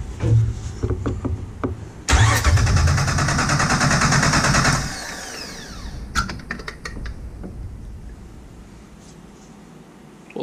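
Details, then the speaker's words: Salvage Jeep TJ engine being checked for a no-start before removal, cranked with a remote starter switch during a compression test: an even, steady cranking rhythm. This cylinder reads 135 psi, within 10 percent; normal cranking compression. "we're still at one thirty five so that's within my ten percent but that's still lowered and i like that feels like a nice good seal there"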